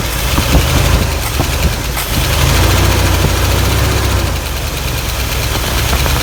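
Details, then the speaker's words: 1986 GMC Jimmy 350 V8 after cleaning a fouled cylinder six plug with good compression: idle with an uneven, loping beat and occasional stumble; slight misfire remains. "still still misfires a little bit"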